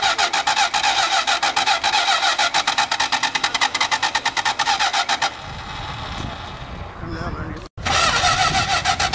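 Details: Plymouth Fury III at a car show: even starter cranking, about 3.5 beats per second for five seconds, without catching; a hard start that needed carb work and starting fluid; owner suspects fuel and ignition systems need an overhaul.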